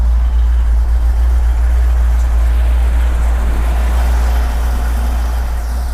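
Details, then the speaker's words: 1954 Chevy 5-window truck, owned since 1980, left outside for 3 years. The V8 was rebuilt around 1982 and has a mild intake; a little gas was squirted in before starting. A deep, steady idle burble with even firing and no misses, knocks or ticks, a normal cold start and idle. "That was easier than I thought. Wow. All right, the engine still starts after all these years."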